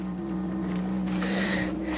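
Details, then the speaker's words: Diesel heater in a Fiat Ducato camper starting up: steady fan drone with an uneven surging burner roar as it struggles for fuel because of air bubbles still in the fuel line. "can hear it struggling for fuel because it hasn't got it yet properly there's air it's still air in the if you air bubbles in the pipe"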